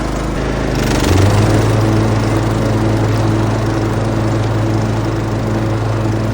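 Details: Troy-Bilt Mustang zero-turn mower with 88 hours that wouldn't restart after stopping unexpectedly, now with a new fuse: it catches within a second and settles into a steady, even drone with no misses or knocks.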